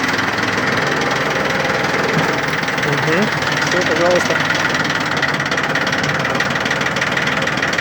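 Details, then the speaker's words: Yanmar three-cylinder diesel 4WD mini tractor (title says F13D 13 hp), 778 hours, just started, in neutral while the rear hitch is lowered and raised. The even diesel idle holds steady with no knocks: running well, hitch works cleanly. "здесь у нас все работает ровно работает отлично трактор [музыка] пожалуйста работает ровно без лишних Шумов"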